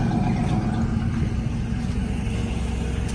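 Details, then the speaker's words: 1995 Mustang GT 5.0 V8 at cold idle on a chilly day after a cold air intake install: deep, even burble, slightly throatier intake, no misses, knocks or ticks; a little louder but runs fine. "Okay. So it does seem like it might be a little louder on the kind of cold start there. But it's not terribly loud."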